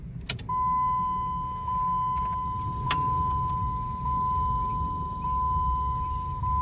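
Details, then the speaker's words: 2002-2007 Jeep Liberty KJ blower motor after replacing the blower motor resistor with an upgraded one: steady even whine, fan speed one now works where it did nothing before; normal low-speed blower operation. "if you can hear that it's working on fan speed one now and I didn't do anything on fan speed one before"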